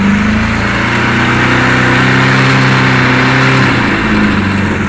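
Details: Kawasaki KZ1000 police motorcycle, cold, choke off then half choke, revved; uneven stumbling four-cylinder beat like a cylinder dropping in and out, vibrating noise to the left, cause unknown despite extensive testing: rough running when revved cold.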